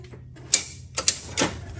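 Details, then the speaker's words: 1970s EZGO golf cart with key forward: about four sharp single clicks in two seconds and no cranking whir, so the solenoid pulls in but the internal starter-generator won't turn. Worn-low brushes on the armature are suspected, not confirmed. "u get a solenoid kicking but watch this all i gotta do is rotate it a little bit let's go back a little bit and watch what it does oh wow nothing now"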